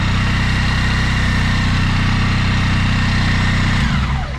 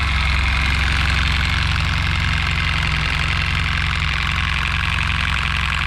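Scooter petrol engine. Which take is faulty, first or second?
second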